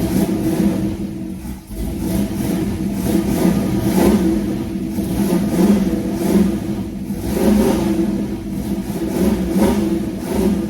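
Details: '32 Ford Highboy Roadster hot rod on a regular four-barrel carb, coil jumped without electronic ignition, after fuel is squirted into the carb: the engine catches, runs steadily and pulls up and settles back cleanly on throttle blips. Running normally.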